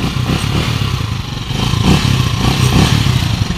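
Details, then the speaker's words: Rusi 150 motorcycle, three months old, whose timing gear has already been replaced three times. After fitting a TTGR timing gear in place of the chipped, noisy one, it idles steady and even with no gear whine or clatter, running very quietly. "So ngayon pinalitan natin ng TTGR na timing gear mga idol. Tingnan niyo ang andar, napakatahimik."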